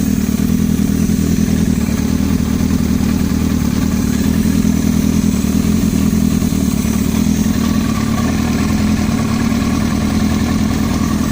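Inline-four running with a busy, rapid clatter under the exhaust note that stays with it through the revs, pointing to an internal knock.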